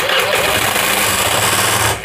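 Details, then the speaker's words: Honda Vario 110 scooter engine seized from oil starvation (owner notes possible oil leak past valve or bushing) restarts after being freed, then harsh, heavy clattering labour for about two seconds dies away as it binds and seizes again; likely internal damage. "heavy, bro, it's stuck again, it's running again, bro"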